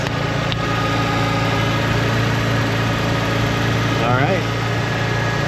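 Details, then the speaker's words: 1993 Nissan Skyline sedan with RB20DET, just after a fuel filter replacement; the fuel pump was primed, then it started beautifully. Steady, even, low idle with no misses, knocks or hunting: normal idle. "we're going to prime it again and we're going to start it up as you can see it started up beautifully"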